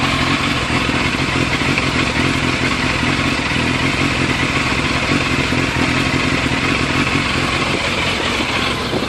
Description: A video of my 2001 fzs600 idling / hunting. Frustrating.